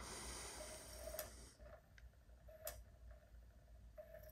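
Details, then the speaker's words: Japanese PlayStation SCPH-5500 loading a game: quiet intermittent whirring bursts with sharp ticks as the sled moves noisily along the optical drive rails; owner suspects the optical laser is failing. "it does sound like that drive and that sled mechanism and moving along the rails of that optical drive is really making a lot of noise I think maybe that Optical laser might be on its way out"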